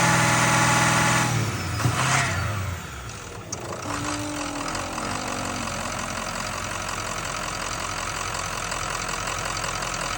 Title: 6.0 weird whining sound coming from oil filter area at 2500 rpm and shutting down.